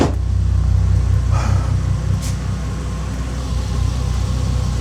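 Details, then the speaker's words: 2005 Bentley Continental GT W12 after cleaning, following months of electrical faults: low, steady, even idle hum with no stumbles or misfires; smooth running restored. "Right, you already clean now. It should even sound better. Better than it was. So, let's hope for the best. No misfires, nothing. Like nothing happened."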